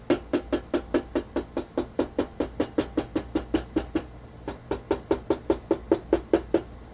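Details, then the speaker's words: Stock, unmodified Sony PS-X800 linear-tracking turntable, all screws tight, plinth tapped and recorded on camera built-in mics: two or three sharp taps a second, each ringing with a hollow rattly edge; poorly damped stock plinth rattles. "I would advise you to pay close attention to a rattly type of sound characteristic on the stock 800"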